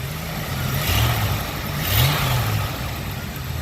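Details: 1979 Lincoln Continental Mark V after new distributor install and tune-up, vacuum advance connected: smooth idle with two quick throttle blips that rise and fall back cleanly; no stumble, misfire or backfire, engine runs right.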